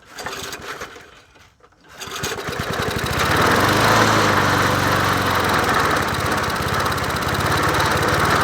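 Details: Murray 20-inch push mower #20201D, free and missing its gas tank, running after carburetor work and priming; brief sputter, then the small engine catches and settles into a steady even run at constant speed with no misses, normal running.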